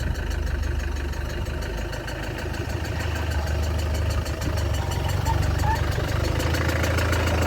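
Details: Land Rover Discovery 300Tdi diesel, restarted after a donor engine swap with a mechanical injection pump, new timing belt, alternator, turbo and valve clearances set. Deep, steady idle with an even low thrum and no knocks, misses or rattles. Healthy idle.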